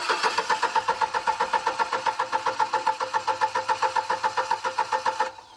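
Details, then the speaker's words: Fuel-injected Upright AB62RT boom lift idle over a year, with weak battery and bad connection: fires in quick chuffs, about four a second, on sprayed fuel, then dies; owner suspects a bad relay and wrong replacement fuel pump. "I think I'm like priming the fuel injectors but they're not staying lit but if I do this and I go again cuz now I sprayed a bunch of fuel in there"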